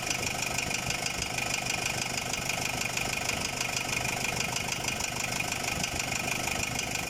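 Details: Ford Ranger WL diesel at idle, fitted with a Chinese replacement cylinder head after overheating; a rapid, steady, even internal knock about three per second, engine knocking at idle, cause not yet found.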